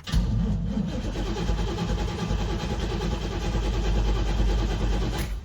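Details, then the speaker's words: 1989 Pontiac Trans Am GTA sat unregistered 17 years, fuel pump now heard: engine churns and labours unevenly for about five seconds without settling to a clean idle; hard start, cause unknown. "Something's got to make it bark off. I don't understand why it's so unhappy, but something is unhappy."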